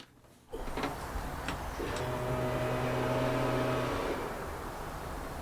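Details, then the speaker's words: Land Rover Discovery 1 V8 being recommissioned, no-start troubleshooting: fuel pump powered briefly from a bench power supply gives a steady even electric hum for about two seconds, then stops; pump working normally, ignition present. "okay so the fuel pump is working we have ignition it's just that the car doesn't know what to do"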